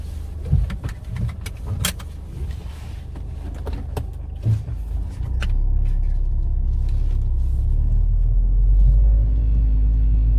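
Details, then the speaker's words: Ford Fiesta ST180 on its first test drive after fitting a Direnza aftermarket engine mount: a heavy low drone and rumble rises through the cabin as the engine pulls, a stiff mount passing engine vibration into the body. "Yeah, I ain't getting no further. That is the test drive. That's the vibration from Direnza's mount."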